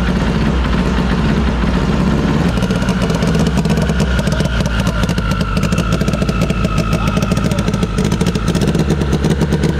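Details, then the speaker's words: SHO'NUFF race car, first start via laptop-programmed PDM, completely cold, air-fuel 12: loud, lumpy idle with an uneven stumbling beat and crackly exhaust, like a misfire; owner suspects a stuck injector. "on the fuel i almost wonder if one of our injectors is stuck how much fuel's in here yeah just sounds like a misfire in here"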